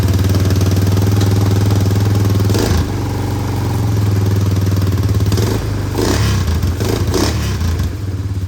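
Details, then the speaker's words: Honda Recon ATV after new petcock, steering stem bearings and front brake shoes, restarted with starting spray after a suspected fuel issue: quick single-cylinder idle thump with brief dips, now running on its own. "Seems to be running on its own now."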